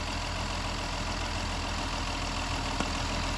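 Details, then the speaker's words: Mercedes M130 engine with mechanical fuel injection, about 4 minutes after a cold start and not yet fully warm: smooth, even idle with a steady low rumble and no knocks or misses, already dropped to about 800 rpm; warm-up is working. "okay guys she's been running for maybe 4 minutes and look at that it already dropped to uh 800 see so it's definitely working"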